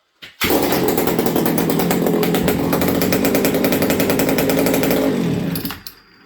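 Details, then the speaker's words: Buckin's ported XL 922 Super chainsaw, an old saw: fires on the pull and runs a crisp, even high-pitched rattle for about five seconds before shutting off; judged good to go, normal running. "See how it grabbed me there? Okay. Yeah, I think this thing's good to go."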